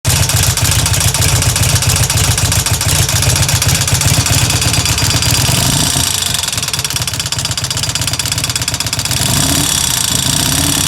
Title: Harley Evo ticking sound